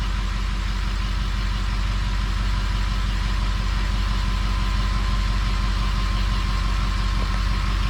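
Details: 6.0 Powerstroke diesel with rebuilt engine, idling: smooth, deep, even rumble with no misses, knocks or rising whine; sounds healthy.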